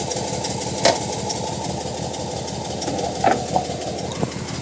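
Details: Nissan R33 RB25DE non-turbo, cold start after sitting a day: a lumpy idle with occasional sharp misfire pops for 5-10 minutes until warm. It spits water/fuel; coil packs and plugs were replaced without change, and the airflow meter is suspected.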